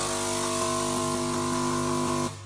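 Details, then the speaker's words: Key Technology VitiSort sorter ejector-valve test cycling all 128 valves, with one valve unplugged to demonstrate; steady hum with quick light clicks through the sequence and a silent gap where a valve doesn't fire, a dead ejector valve. "And what you're looking for is a pause in that sequence where it might highlight a valve that's not working. So here we're watching the valve cycle all the way through. I'm just going to unplug one real quick so that we can hear the difference."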